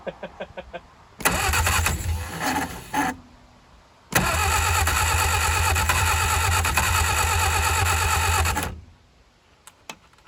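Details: 1959 Reliant Regal Mk5/Mk6 three-wheeler unrun 20+ years, fuel trickled into carb, timing uncertain; even cranking about three and a half beats a second in two long bursts, brief catches, no run; flooded carburettor, stuck float.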